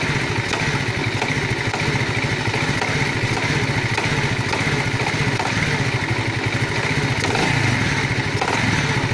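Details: Alpha small engine knocking, owner asking for help: fast rattly tapping rides steadily over the engine at fast idle; engine knock, cause unknown.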